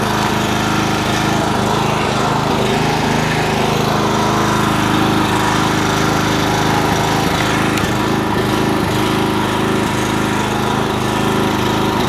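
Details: 4 kW single-cylinder generator under repair, loaded with a kettle drawing about 2.2 kW (just over half its capacity); engine holds a steady, even drone with no hunting or misfire, pulling the load normally.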